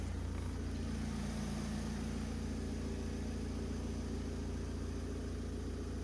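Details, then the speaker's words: Opel Combo 1.7 diesel after soldering engine control unit, adding primer bulb and fixing fuel leak for crank-no-start with P0251: steady even idle, smooth low rumble, no knocks or stumbles; healthy idle. "Ну, але машина заводиться чітко."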